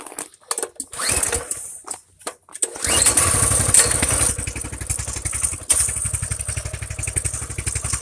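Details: Coleman BT200X stock bike, after routine maintenance, chain oiled, fresh gas, carb suspected plugged and unreliable starting: a few cranking pulls, then it catches and settles into a steady, even putter with no misses; healthy start and idle.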